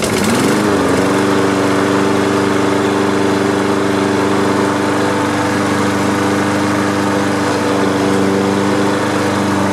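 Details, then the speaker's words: Free Troy-Bilt lawn mower after carburetor cleaning and flush, old gas removed, blades sharpened and balanced: engine catches, climbs briefly, then holds a smooth, steady drone with no wobble or knocking, running healthy. "all right all right well that wasn't too bad was it uh carburetor wasn't too bad just needed a big cleaning up flush out the carburetor get rid of the old gas"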